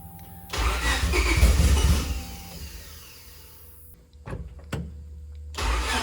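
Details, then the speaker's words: Freshly rebuilt turbo D16Y8 in EK Civic Champ Car, first start: starter cranks, engine catches, revs and settles to steady idle, in time, no knocks, ticks or engine noise heard. Normal start. "we're still down a hole for sure but it sounds good so it's in time and everything it's actually starting to pick up right now so that's really good um i don't hear any engine noise"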